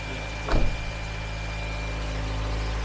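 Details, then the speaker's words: Cold start idle of a 2014 Nissan Evalia manual (used from 2015), started on first crank with a good battery; still cold so idle rpm is raised, smooth and steady with no knocks or rattles; normal cold idle. "Ini masih dingin, jadi RPM masih tinggi, Pak."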